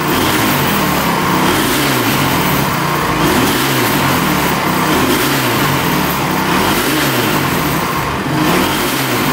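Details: Honda TRX450 quad with stock setup: surging revs rising and sagging, never settling, bogging; owner suspects carb or a sensor.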